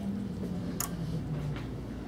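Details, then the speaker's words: 1996 Jeep with no start and no PCM communication: a scan tool actuator test pulses the auto shutdown relay on and off, giving sharp ticks about every 0.75 s over a low hum. Relay is clicking normally. "you're gonna turn on the auto shutdown relay for me and good turn it on and what that's gonna do is energize this circuit and it's gonna pulse it on and off if you listen you can hear it"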